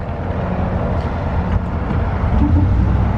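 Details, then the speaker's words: 2014 Ford SVT Raptor (Gen 1), about 158,800 miles, pulling away: dull single clunks over road rumble; researched as normal high-performance suspension noise, though driveline suspected, cause unconfirmed. "so i did some research on that and apparently that is just the suspension of the raptor with it being high performance suspension apparently it makes some noise it's not really a big deal but my dad said something about it he said that's something in the driveline"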